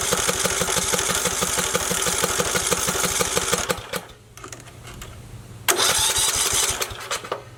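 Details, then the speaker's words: Briggs & Stratton 19 hp mower engine, gritty debris found, old-smelling fuel, starting fluid used: even cranking, decent compression, not a single pop; won't start, and a plug check confirms weak spark. "Might be a spark issue. Because you'd think with that starting fluid it would at least pop a little bit."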